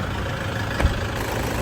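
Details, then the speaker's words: 2013 Toyota Hilux Vigo Champ, 2.5 VN turbo diesel, manual, 220,000 on the odometer, heard at the open engine bay. Steady, even diesel idle clatter with no misses; the engine is not shaking and runs quietly. Normal idle. "เครื่องนิ่งๆไม่สั่นนะครับเครื่องเดินเงียบ"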